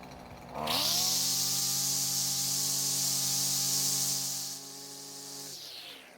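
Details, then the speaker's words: Husqvarna trimmer that previously wouldn't start and kept stalling, now fitted with a different used engine, a new ignition coil and a purged fuel system. A quick clean rev-up to a high, steady buzz, then an easy return. Running normally. "so as you can hear it's running better than ever and it's not stopping like it was before"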